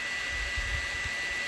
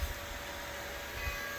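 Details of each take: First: Old electric motor with new 6203ZZ bearings, VFD-driven at 120 Hz (twice normal speed) through a 24 V UPS and transformer: steady high-pitched whir with constant tone and no grinding; runs clean, where it once shrieked badly at 120 Hz. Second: Old rusty motor refitted with new 6203ZZ bearings and driven by a VFD at 60 Hz: steady whine with a rough scraping undertone at start-up. Something may be binding inside and clunks even at 10–30 Hz, pointing to the rotor rubbing the stator.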